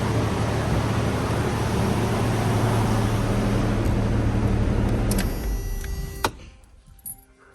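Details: 1994 Toyota 5-speed four-wheel-drive pickup, 149,000 miles, first start after sitting 8 years following new fuel pump and cleaned tank: steady, even low idle with no knocks or misses, then clean shutoff; sounds pretty good, normal idle.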